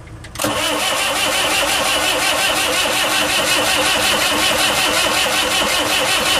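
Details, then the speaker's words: Saviem SG-2 diesel, replacement engine fitted after the old one failed, injection pump swapped onto it, smoking and leaking: steady cranking chug, never fires. Owner suspects mis-timed injection pump. "J'ai pas trop l'impression qu'il entend partir en fait."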